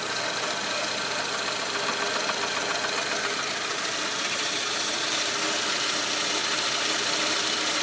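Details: VAZ-2110 1.6 8-valve engine at 64,629 km, idling: a light, fairly even tapping knock of two or three per second; cause was camshaft axial end play, and the noise was gone after replacement.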